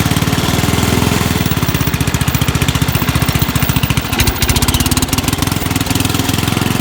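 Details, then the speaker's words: Rugg carpet-cut tractor found at the dump, running outside under load after choke start. The carburetor was very dirty and the muffler is shot. Deep, steady, even thumping exhaust with no misfire or popping. Runs well, and backfiring is expected to drop once a muffler is fitted. "Okay guys, there you have it. Runs pretty good. I don't think it will backfire as much when I get a muffler on there."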